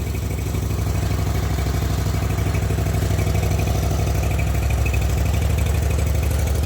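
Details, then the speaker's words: Zero-turn mower after carburetor rebuild, battery on charger: even, low, steady thumping idle with no misses, surging or rattles; running smoothly and healthily. "Sounds like it's pretty happy, but the best way to test that is to mow with it."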